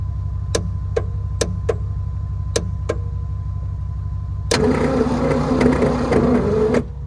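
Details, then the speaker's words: 1970 Ford Maverick cranked in snow with all six spark plugs out, no compression; a few scattered clicks, then a strained, slow starter whir for about two seconds; owner doubts the starter is healthy; weak slow cranking. "That's a neat sound, huh? Doesn't seem like a very healthy starter, does it?"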